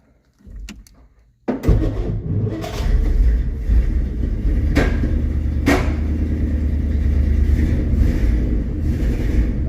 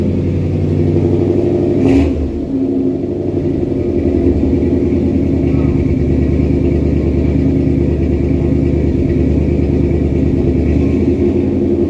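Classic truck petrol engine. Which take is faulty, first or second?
first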